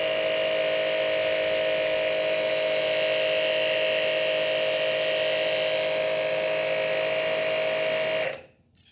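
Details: Hanabi JBD 8003 induction-motor pressure washer, 127V/110V, cleaning with no leaks at the fittings: steady mid-pitched motor hum holds constant for eight seconds, then shuts off cleanly, no surging or knocking; normal running.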